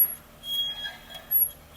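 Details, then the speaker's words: Mercedes-Benz SLK brake squeak while driving: thin, high-pitched chirps on and off, caused by a rusted backing plate letting the brake shoes float. "As you can see here, the black plate has rusted and the sho and the brake shoes are just floating like this when the customer's driving."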